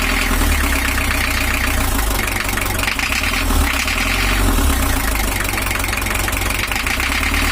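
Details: 1982 Toyota Hiace LH11 diesel, overheating and rough, with an 1983 camshaft on an 1982 gear: uneven, lumpy beat and rough clatter instead of even idle. Rough running from incorrect injection timing.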